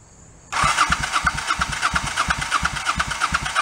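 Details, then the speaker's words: 1984 Honda Shadow VT700C, not run in over 7 years, rebuilt carbs and fuel lines, choke on, first start: even cranking pulses about three a second but never catches. "start not too promising uh let me see something all right um back to the drawing board okay first attempt didn't start"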